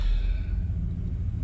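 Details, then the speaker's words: 1993 Chevrolet throttle-body 350 V8 truck, after a pigtail change and replacing the fail-safe thermostat with a standard one, in closed loop: low, smooth, even rumble settled at a slow idle with no misses or ticks. Normal idle. "There it is. That's where it's supposed to be. That old 350 sounds good through that float."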